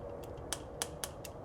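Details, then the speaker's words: 1968 Oldsmobile Delmont 88, 62,000 original miles, parked 36 years, after a new negative ground strap and sanding the points, with the key on: sharp, crisp coil snaps about four or five a second; a strong, normal ignition spark. "So, I got on the points with some sandpaper. And I had dad turn the key back on. That's firing really nice."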